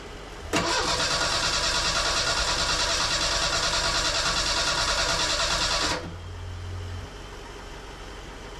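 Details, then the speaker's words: Merkur XR4Ti after an engine swap, first start attempt with a new fuel filter and fuel pressure present. The starter spins briskly and steadily for about five seconds but never catches. Bad gas in the tank and unset ignition timing are suspected. "after hours and hours of work I managed to not start the engine it did crank it coughed a little bit but but couldn't get it to start"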